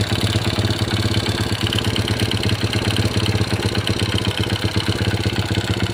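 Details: Honda Supra Pit New (2000s model) single-cylinder four-stroke at idle after timing chain replacement, cover refitted, fresh oil: steady even putter with no chain rattle, noise gone; mechanic still suspects piston and crankshaft bearing wear. Normal idle.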